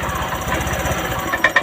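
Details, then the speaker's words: Honda injected scooter (Vario 125) with DTC 12, MIL on; engine putters evenly then dies into stray pops as injector wiring is moved, intermittent stalling from broken or shorted injector wiring. "Oke mati lagi masih hidup lagi kalau saya gerakkan lagi kabelnya mati lagi Tuh milnya kan hidup lagi"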